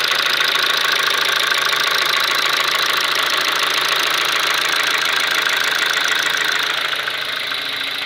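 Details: Kia Ceed with G4FG petrol engine knocking at steady idle: light tapping knock, roughly two a second, fairly regular over the engine hum; source not pinned down.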